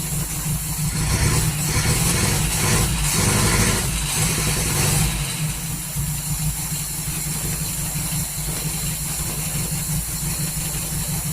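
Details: 1939 Hillman with AC fuel pump trouble, restarted about 5 minutes later with water added: low, uneven, lumpy idle. Rough idle; owner suspects the ignition timing is out.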